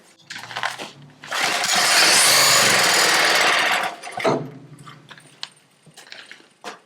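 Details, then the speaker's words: Old log splitter engine hydraulically driving a used conveyor at first startup: engine fires and roars under heavy strain, then dies back to clatter; owner suspects a seized shaft, possibly the geared one, not the motor. "I took the chain off because I think what's happening is I think the motor is gonna run fine I'm gonna verify that now and I think that there's something else froze up on that's possibly one of the shafts"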